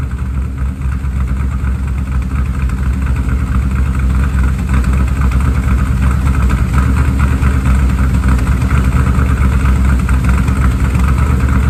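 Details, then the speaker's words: 1967 Mustang fastback (Shelby GT500 or clone) V8 after valve adjustment, old gas-soaked sooted plugs still in: low, uneven, loping, stumbling idle with no metallic rattle; misfire from fouled plugs, replaced next. "keep in mind it's not going to sound quite right because guarantee you every one of the plugs is just covered and soot from the way it was adjusted"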